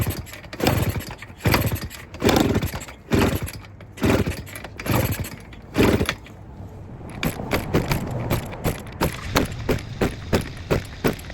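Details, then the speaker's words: Honda Express 2 scooter, 60cc big bore two-stroke, high-flow intake and performance exhaust, before tuning; owner suspects running out of fuel, plans a bigger main jet: several rough start attempts with short sputters, then an uneven putter; hard to start. "So as you can see, it's kind of hard to start, and once it does start, it sounds pretty awesome."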